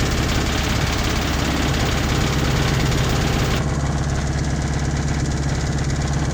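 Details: 1986 Toyota MR2 AW11 engine from a salvage-yard parts car, idling after the last vacuum leak was fixed; steady idle with a coarse uneven knocking pulse about three beats a second. Owner says it sounds like rod knock, not confirmed.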